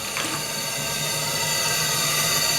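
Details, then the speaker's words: RC steam tug Côte d'Émeraude with a new Stuart D10 twin engine at full ahead in a bathtub, regulator set to 3 bar: steady steam hiss over soft, quick, even exhaust chuffs; the engine runs smoothly and sounds healthy. "mais en tout cas, ça remue de l'eau dans la baignoire. Et vous l'entendez respirer."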